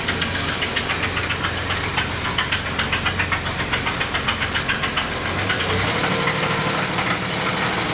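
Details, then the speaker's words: 2017 Kia Sedona 3.3L V6 at idle: sharp, regular knocks about three to four per second from the lower end; spun rod bearing knock, engine to be replaced. "So we are going to be replacing the engine in this vehicle. As you can tell, it has some kind of a knock. It's the lower end."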